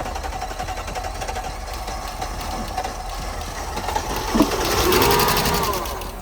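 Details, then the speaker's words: 2002 Mercedes S430 sitting about 8–10 years, after new fuel pump and fresh regular fuel, jump-started: even cranking about three beats a second, fires and swells to a smooth steady run; normal start. "As you guys can see, it starts. Yeah. There we go, guys. The vehicle starts, so the fuel pump revived this beauty."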